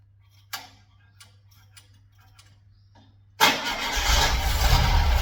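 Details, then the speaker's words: Air-cooled VW flat-four rebuilt from parts, being bench-run before fitting in a '58 Beetle: a few quiet clicks, then cranks, catches and settles into a fast, slightly uneven run; runs, timing and carb tuning still needed. "Well, I feel like that was a success. We managed to get this thing running. It'll take some fine tuning, but we can do that when we get it in the car."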